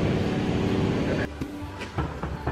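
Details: Ponsse Wisent forwarder rear bogie: engine rumble fades, then a few heavy irregular clunks from the rear bogie as the machine shifts; bogie found heavily packed with grease, cause of failure unknown.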